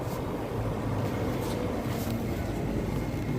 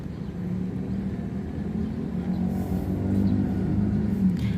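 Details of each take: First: Daikin R410A split air conditioner after replacing the capacitor: steady low hum and rumble with no clicking or stalling; compressor running normally and cooling again. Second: Daikin R410A AC outdoor unit: fan turns very slowly with a low steady hum, intermittent hum from the compressor which stalls and won't run, pipes dry with no cooling; failed run capacitor, replaced.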